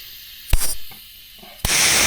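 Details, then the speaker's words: Diaphragm blow-off valve bench-tested with compressed air: a sharp pop, then a steady rush of escaping air for about half a second. This valve leaks, unlike the HKS SSQV-style replica, which holds boost pressure. "This one leaks. Yeah. Leaking."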